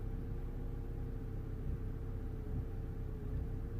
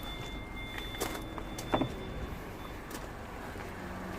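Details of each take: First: 2011 Vauxhall Corsa D 1.4 petrol, first start of the day after a long crank. Code P0223, limp mode, spanner light, cutting out. Revs bounce in a low, uneven, wavering idle: running really badly. Cause not yet found. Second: 2011 Vauxhall Corsa D 1.4 petrol after repair (P0223, airflow meter had been fitted the wrong way), codes cleared: quiet, smooth, even idle with no misfire or knock, and it revs okay.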